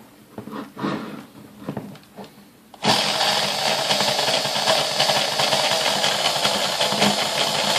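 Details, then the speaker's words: Sunbeam Mixmaster 1-8B vintage stand mixer, first plug-in before servicing, oily and packed with crud: motor whir starts, then runs with an uneven, wavering pitch; the speed control is not holding steady. "all right not bad it's got some issues you know you can hear it speed control there"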